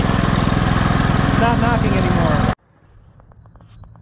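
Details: Cast-iron Kohler K-series engine after checking crankshaft and camshaft play to fix a knock: steady, even thumping at fast idle with no extra knock over the firing beat; normal running until it cuts off.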